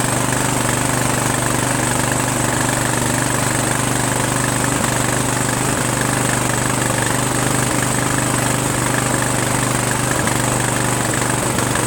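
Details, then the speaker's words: Sabre by John Deere lawn tractor with a repowered single-cylinder engine and a swapped carburetor, at first start in neutral; steady, slightly uneven low chuff while the breather dumps residue; teardown later found a blown head gasket. "If you look at the breather took a dump. So either it was just cleaning it up, right, with stuff that was in there from a long time ago, and it needs to breathe better and clear out the stuff. As you can see, there's a lot of stuff in there. Or my head gasket's blown."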